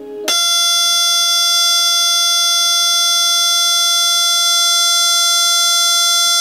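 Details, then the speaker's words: Samsung LCD TV (LN40A550): loud, steady, piercing squeal switching on abruptly as the TV powers on and off by itself; fault on the main board, not the power supply, fixed by replacing the main board. "okay so that's the squeaky sound that I was talking about and it just turned off automatically"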